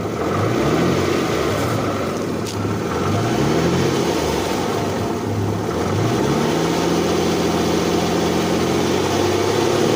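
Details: 2008 Infiniti M35x, 187K miles, petrol engine idling and revving: loose, busy rattle riding over the running note; cause unknown.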